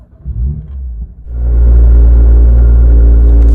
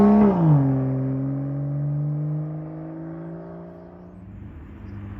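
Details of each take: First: BMW M2, about 10,000 miles, M Performance exhaust on a cold start: engine catches and settles into a loud, deep idle with a heavy droning buzz as the exhaust vibrates for 10 to 15 seconds; cause unknown. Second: BMW M2, M Performance exhaust with valves opened by remote: a sharp rev flare sweeps down into a deep, even burble; healthy, normal exhaust note.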